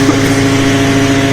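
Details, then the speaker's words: 125 mixer mill after fixing a fan blade, previously with hammers rattling badly: smooth, constant whir of the fan at steady pitch with no rattle or hammering; normal running. "now you can just hear the wor of the fan you can never hear"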